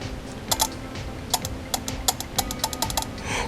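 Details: Holley Sniper EFI injector bench-tested with a ground wire on one prong and a powered probe on the other: crisp, sharp clicks each time power is applied, quiet room behind; injector fires normally. The non-firing injector was traced to a loose connector plug.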